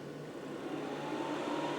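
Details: Parking heater running on a white-plug controller after a black-plug controller gave error code 07; steady, even combustion roar with a soft fan whir building slightly, no knocks or misfiring; running normally.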